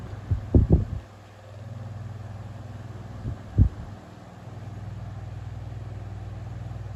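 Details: 1950s GEC 10-inch oscillating bullet desk fan running after its blades were replaced: a low, steady motor hum with no rattle or scrape, only a few handling knocks; quiet, normal running.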